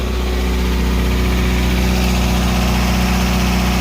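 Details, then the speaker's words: Pontiac Fiero 2.5L Iron Duke at cold-start idle after fitting the missing bottom bolt securing the alternator bracket to the block. Smooth, steady low hum, and the earlier startup belt squeal is gone: normal idle. "so once I put the bolt in there between the alternator and the block it properly secured the alternator and the belt no longer makes the noise"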